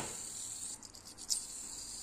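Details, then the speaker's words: Yamaha Aerox engine, noise returning when hot after intake valve re-adjustment; right camshaft bearing turned by hand gives a faint dry rasping crunch, worn and due for replacement. "udah ngekrek-ngekrek. Karena emang udah jelek ya si ee bearing-nya ini. Jadi emang udah selayaknya kita ganti."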